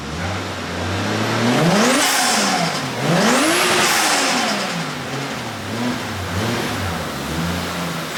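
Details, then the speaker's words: Toyota JZX100 turbo engine after replacing failed turbo manifold gasket and refitting intercooler piping, warmed briefly then revved; clean rises and falls, no whistle, hiss or ticking; boosting properly, normal revving. "It was boosting properly, exactly how I wanted it to boost. No whining, no nothing."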